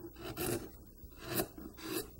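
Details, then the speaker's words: Sharp gouge carving a Bellamy-style eagle in wood, compared with a dull tool that tears fibers: three short smooth slicing strokes about a second apart, no tearing or crunching; sharp tool cutting cleanly. "whereas a sharp tool just takes it just carves that away real nice and slick"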